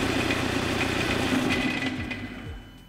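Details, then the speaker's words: Car engine idling with a steady rattling, winding down at switch-off to a single dull clunk from the recoil of a worn dual mass flywheel, a wear part that can fail after 150,000 km. "now we heard a clear noise when we turned off the car the flywheel is attached to the crankshaft and the connection to the transmission when I turn off the engine now the engine stops and the rotation of the flywheel disc is still there the noise is caused by The Recoil of the Dual Mass flywheel"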